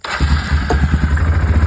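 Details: Yamaha Kodiak 450 ATV (late 90s/early 2000s) with rewired push-button starter and kill switch, on choke, after turning the kill switch on: catches immediately and settles into an even, steady low thump at idle, no misses; healthy start.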